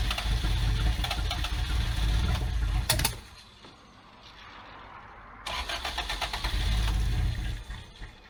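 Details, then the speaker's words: Abandoned Toyota AE86, after the ignition timing was bumped back a few degrees: the starter spins in steady bursts with pauses but it never catches. The timing change didn't fix the no-start. "okay it would seem that she's still not happy not on fire so that's a good start"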